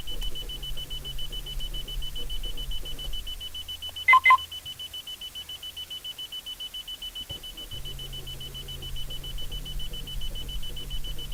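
A fast, high chime pulses steadily throughout with two louder beeps in the middle and no engine firing: a warning on a no-start.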